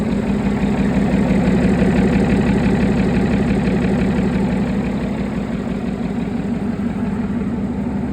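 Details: Replacement engine for Farmer Phil's Chieftain tank, test-run before fitting: deep, even diesel rumble at steady idle, firing pulses regular at about three per second, no knocks or misses; idles beautifully, healthy engine.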